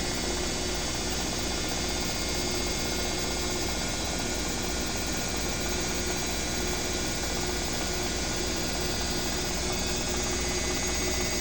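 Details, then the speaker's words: Own BWS24 washer spinning, 4-minute spin set: it moves a little but lacks the neighbour's Midea's loud noise; steady even hum, faint high whine over soft drum rumble, no knocking or grinding. Normal spin cycle. "Mexe, mas não faz esse barulho todo que a outra fez."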